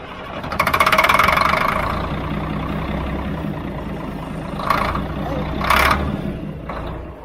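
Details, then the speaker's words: Old 6x6 deuce-and-a-half army truck diesel: lights off in a short surging burst, then sags into uneven chuffing with brief flares, running only on ether because no fuel comes out of the injector line; fuel starvation. "see if gu fuel coming out that's just running off ether wouldn't it yeah was you know in theory what we were hoping that the ether or the starting fluid would help draw that fuel into the system but if you look let me show you something right here like it's not even it's not even coming out of this injector line"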